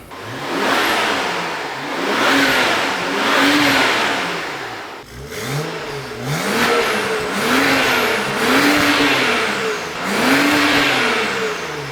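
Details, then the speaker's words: 2011 BMW 535i xDrive F10, first start after fitting VRSF catless downpipe and intercooler, before ECU/TCU tune, checking for exhaust leaks; clean rev blips rising and falling, no ticking or puffing, sounds more lively, no leaks. "okay you know car sounds a little more lively now"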